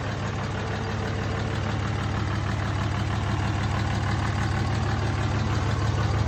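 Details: Replacement short block in the Cummins 5.9 diesel of a 2003 3500 single-cab dually 6-speed whose original engine was reportedly run out of oil, freshly test-fired: steady clatter at an even idle, regular firing, no misses or knocks; healthy idle.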